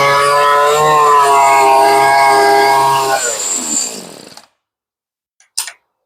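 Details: Stihl string trimmer after a fuel-line and carb rebuild, low-side screw a quarter turn out, choke off: catches and buzzes steadily about three seconds, then sags and dies; mixture needs more adjusting, cause suspected, not confirmed.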